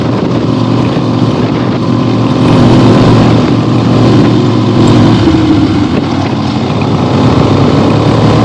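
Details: 1975 Harley-Davidson XLH Ironhead Sportster V-twin on its real test ride after a complete rebuild, mostly stock: under wind and road roar it pulls steadily, rising and falling smoothly with throttle, no miss or knock; looks good, runs great, normal running.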